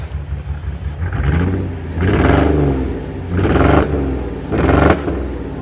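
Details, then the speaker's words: Auction Mercedes S-Class with valve cover leaks on the left bank: three quick revs that climb and fall away unevenly; the engine doesn't sound happy, rough when revved, cause not pinned down. "so i mean we won't start it up again because the engine doesn't sound too happy"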